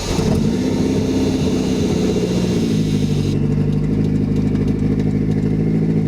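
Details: Toyota MR2 Turbo with swapped JDM 3S-GTE, first official startup late at night, jumped from another car, after fixing vacuum and boost leaks (intercooler pipe off, throttle body vacuum off); smooth even note holding and changing with revs, no stumbles or knocks.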